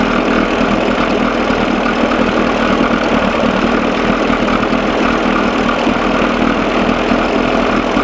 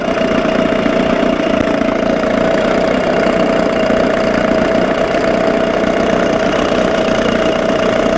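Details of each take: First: 1987 Johnson 6 hp outboard on a bucket after carburetor linkage fix, lukewarm; loud even buzzing run at steady speed with no dropouts or sneezes after mixture adjusted from lean miss; sounds good but still runs too cold. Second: 1987 Johnson 6 hp outboard in neutral after carburetor linkage fix; steady idle with sharp whine and slightly uneven hunting note as mixture needle turned in too far, running lean; fuel/oil buildup now near normal.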